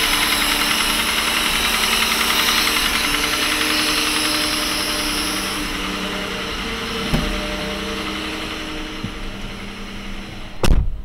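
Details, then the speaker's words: Mercedes W126 petrol engine idling warm at about 40 degrees, oil pressure normal: faint uneven knock beneath busy upper-end clatter; valve adjustment didn't fix it, traced to worn camshaft bearing bushings letting the camshaft rattle. "в общем нашёл Я звук при помощи вот этого приспособление вот здесь стучит короче под разбитые втулки на распредвале и распредвал здесь брякает"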